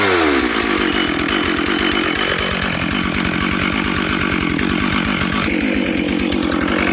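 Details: Stihl 440/460 hybrid chainsaw on first tank of fuel since rebuild, rings bedding in, held at full throttle: steady but burbling uneven high note, carburetor set quite rich so it four-strokes; needs slight carb tweak.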